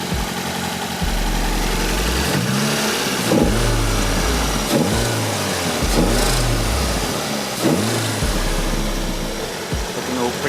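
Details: Freshly rebuilt Toyota 4A-GTE for an AE86 (new 8.9:1 OEM pistons, rings, bearings, oil pump) on first break-in run with light oil: revs rise and fall freely with a light clicky rattle following speed; valvetrain ticking blamed on thin oil.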